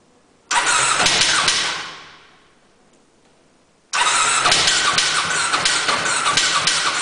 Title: No Start